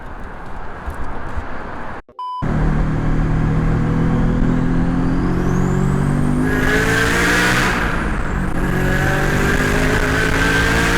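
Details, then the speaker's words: FR-S with GTX3076 turbo, CX Racing header, Turbosmart 38mm wastegate, eBay intercooler and piping, 3in downpipe, Ecutek tune: hard pull with a strong rising engine note and climbing turbo whistle, boost now about 12 psi after adjustment, down from 16; healthy normal boost. "yeah huge difference that's a lot better that's a lot better so now i'm hitting like 12 pounds sounds good"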